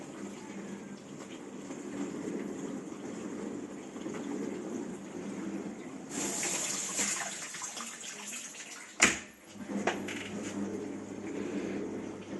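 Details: Discontinued Bosch dishwasher that filled and hummed but didn't wash because the recirculation pump impeller had come off the motor; the fix is gluing the impeller back on. Steady swishing spray with a soft pump hum, washing normally.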